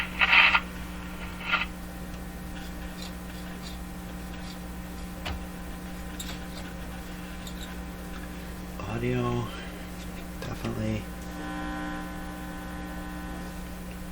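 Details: Electrohome Cosmic tube radio being chased for distortion, weak output and poor AVC, heard through a signal tracer: only a steady low buzz with no programme; mains hum, likely from a clip lead not making contact.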